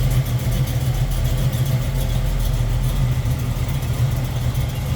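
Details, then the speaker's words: 1972 Chevrolet Camaro SS, decked and built 350 V8, headers, Edelbrock Performer RPM intake, HEI ignition, 4-barrel carb: deep, lumpy, even idle rumble with no ticks or knocks; healthy engine. "Looks good, sounds good. 1972 Chevrolet Camaro SS."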